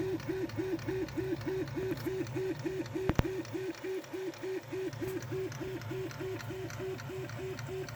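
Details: Prusa Mini+ 3D printer: light clicking from somewhere around the X-axis motor during quick back-and-forth moves (small bursts, diagonal or left-right lines), barely noticeable otherwise, over stepper hum pulsing about 2.5 times a second; extruder normal; idler screw already very tight.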